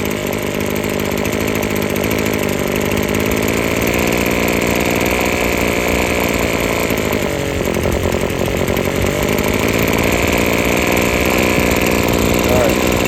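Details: Husqvarna string trimmer after freeing the sticking trigger and adjusting the carburetor: steady, high-pitched two-stroke scream at high rpm with the string whistling, no bogging or surging; running strong and clean.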